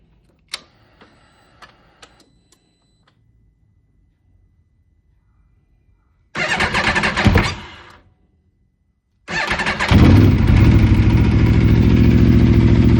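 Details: Aprilia RSV4 RF engine started for off-season maintenance: cranks, catches briefly and dies, then restarts to a steady idle with a busy, slightly uneven mechanical clatter; abnormal noise, cause not yet known.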